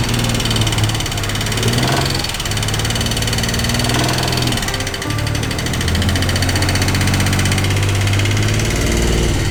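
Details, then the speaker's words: Stolen Nissan R32 Skyline whose oil was found milky; owner thinks the thieves abused the engine. A loud, uneven idle with a stumbling, lumpy beat and a knocky edge; misfiring, linked to coolant in the oil. "Oh, it's milky. Uh-oh. Can't see it in the camera. I think the motor had been abused by the thieves and created only the worst possible outcome for us."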